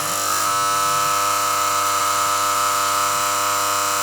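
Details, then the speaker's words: Healing 400J clock radio with Smiths clock, alarm switched on while chasing mains hum after recapping: loud, constant raspy buzz starting abruptly and holding steady; alarm buzzer working normally. "The alarm works. Well, the alarm works, that's for sure."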